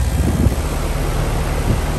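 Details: ICP heat pump condenser, R model, 3-ton, 2011, R22, previously buzzing with a very hot fan motor and the compressor suspected in thermal overload from a bad capacitor. After a new capacitor it starts with a deep, steady hum and no chatter or labouring: a normal start.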